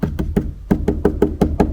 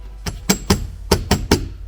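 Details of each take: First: Nine dull, clean hand taps on the left-side trunk panel of a Renault Arkana during sound-deadening work, no buzz or loose rattle after each knock; panel sits tightly, unlike the loose metal plate elsewhere. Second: Renault Arkana trunk, rear right side: sharp dry metallic clicks in quick bunches from a loose dangling metal plate of unclear purpose; left side is quiet.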